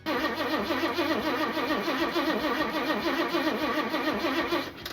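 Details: 1977 Ford Fairmont XC GXL 302 V8 after 12+ years stored, coil disconnected while testing the fuel pump into a bottle: brisk, even starter cranking about three and a half turns a second, no firing; cranks cleanly and the fuel pump delivers.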